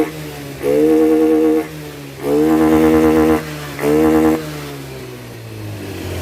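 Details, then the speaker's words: Honda BeAT FI scooter after repair of stumbling, stalling and hard starting: three clean throttle blips rise and fall smoothly without stutter, then steady idle; running fine again. "nah dan motornya sudah bagus kembali"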